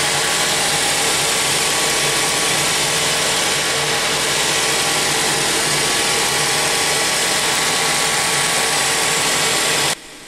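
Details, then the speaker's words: 2010 Mazda 3 2.0 L idling after replacing the stretch-type AC drive belt and the serpentine belt. Steady, even, quiet idle with a smooth hiss and no squeal, chirp or slap: normal idle. "sounds so much better it's so much quieter everything looks the way it should looking good"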